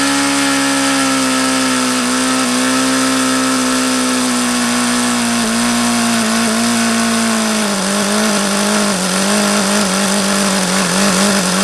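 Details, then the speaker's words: HP VT 21 rotary-valve four-stroke glow engine: high steady buzz with a slight sag and pitch wobble; owner says everything indicates it is still rich on the low end, despite leaning the low-speed mixture. "everything indicates that it's still a rich on the low-end"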